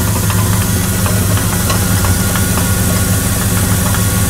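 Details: 2000 Dodge Dakota idling, sounding bad since yesterday; irregular light knock about three beats a second over a low steady rumble; water pump recently replaced but noise sounds like the water pump; abnormal engine noise at idle, source unclear.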